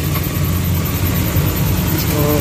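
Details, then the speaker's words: Suzuki Transformer K6A fuel-injected engine idling in neutral after throttle body cleaning and oil change: a steady, smooth low idle with an even hum and no knocks, misses or squeals; the work is confirmed good. "So okay na. So gawin natin. Okay, so okay yung tira natin guys."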